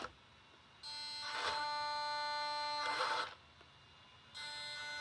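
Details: Brand-new Taigen premium V3 gearbox in an RC tank: a high buzzing whine in bursts of one to two seconds while running; cause unknown, and the owner hopes it is not a motherboard or wiring issue.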